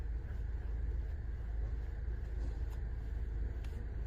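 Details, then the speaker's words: Mahindra Thar ROXX after steering column 14 mm bolt, engine-side bolt and steering rack bolt were refitted with thread lock and fully tightened: only low steady engine hum, previous knock gone; quiet steering, no knock. "देख रहे हो आवाज एकदम से गायब हो गई। तो यह छोटा सा काम है।"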